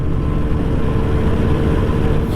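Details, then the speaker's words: Suzuki Max100 two-stroke petrol motorcycle during a mileage test on 1/2 litre of petrol: steady, even cruising drone with no misfire yet, engine running rhythmically; rider expects misfire soon as fuel runs out. "ഇതുവരെ മിസ്സിങ്ങും കാര്യങ്ങളും ഒന്നുമില്ല കേട്ടോ. വണ്ടി അങ്ങനെ ഒരു താളത്തിൽ അങ്ങനെ പോകുന്നുണ്ട്."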